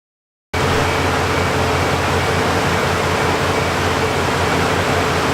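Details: Toyota Supra, long sitting, started off a truck jump because of a bad battery after the clutch and fuel issues (leaking fuel filter) were fixed; it runs about 35 seconds with a steady, even rushing note and no knocks or misses after firing.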